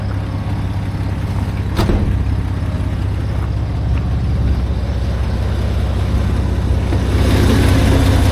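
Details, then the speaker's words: 1989 Dodge W100 truck idling, heard from inside the cab: steady even low rumble, no knocks or misses; runs smooth, though voltmeter shows 12.15 V, suggesting not charging at that speed. "Sounds incredibly good in here. Surprising."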